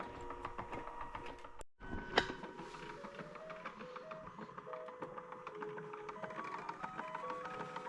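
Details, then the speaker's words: Mr. Christmas carousel, at least 20 years old, after repair: it had played music and lights but would not spin while the motor ran; a broken guide and a loose gear were fixed. Tune plays steadily over a faint tick, now turning normally. "So that's the final result. So a guide was broken, and also a gear was loose, so I fixed both of those. So I think it should go now for a long time, hopefully."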